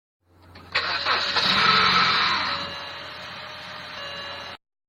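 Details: Used 2005 BMW 320i E90 N46, 120k km: cold start catches with harsh rattling grind about two seconds, then steadier idle; now happens every start since timing chain tensioner replacement. Owner unsure whether chain, starter, flywheel or torque converter.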